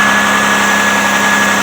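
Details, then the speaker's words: Car idling after sitting nearly 3 weeks, AC off, full tank: an even, steady idle with a constant low hum and faint high whine, no misses or knocks. Running fine. "But it sounds good. Everything's all right."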